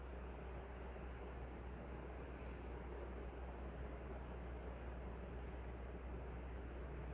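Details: Nutone Proline PFC-48 48-inch commercial ceiling fan running on high on the capacitor test rig. A steady, even rush of air with a low hum underneath and no ticking or wobble. The fan is running normally.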